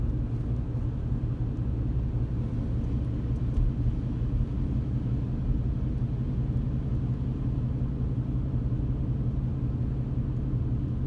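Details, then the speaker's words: 2017 Chevrolet Colorado at 50 km/h, coasting or under power: low droning road rumble with a slow wah-wah pulse of about two beats a second, felt through floor, gas pedal and steering wheel; source unconfirmed. "Now I can hear it, and I can feel it through the floorboards and the gas pedal and the steering wheel. It's like a pulsating noise. Yeah, it gets real bad right at 50 kilometers an hour."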